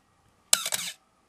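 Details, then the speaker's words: Canon AE-1 Program 35mm film SLR, Canon FD 50mm f/1.8 lens removed: one dry, rasping shutter-and-mirror stroke; the mirror is slow to get up out of the way and the noise seems to come from the mirror mechanism, which works but needs servicing, cleaning and lubrication. "so it's in that mirror part there i think is where the noise is coming from but it all works it just needs some lubrication and some cleaning up"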